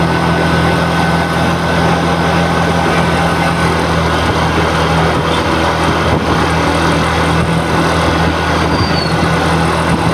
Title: Jupiter 113 engine noise issue tamil 2026 #tvsjupiter @tvsmotorcompany